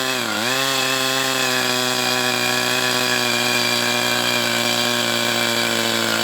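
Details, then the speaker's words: Brat 28 small glow engine running hot, compression intact, not locking up: dips then holds high-pitched whir with no clean firing beat, dragging and dying again; owner suspects internal drag, unconfirmed. "And there it goes. It just dies again."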